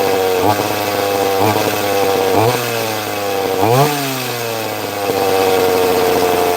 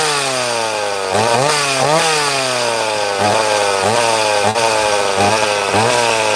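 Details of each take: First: Chainsaw: several sharp revs with falling pitch, then an uneven hunting idle that won't settle, sounding like an air leak; actually caused by the trigger being held in to make it idle. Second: Chainsaw cutting wood after repair: revs up crisply, holds clean even pitch under load, dropping and recovering smoothly each stroke; running healthy.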